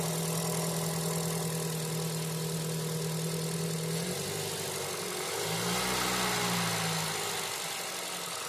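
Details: 2019 Ford Escape 2.5L four-cylinder after new spark plugs, air filter and oil change: starts and settles to an even idle, then blips up and down smoothly with no misses or knocks; running normally.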